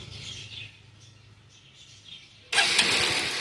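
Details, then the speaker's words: Motorcycle that won't start, with a good spark confirmed: loud, rapid whirring crank that keeps spinning and never fires; the electrics are ruled out, and an oil-fouled or carbon-fouled spark plug is suspected. "பக்கா okay பக்காவது okay அப்போ electrical பிரச்சனைல்லாம் கிடையாது. இது வந்து ஸ்பார்ட் plug ஓகேவா ஸ்பார்ட் plug கண்டிப்பா oil வச்சிருக்கலாம்."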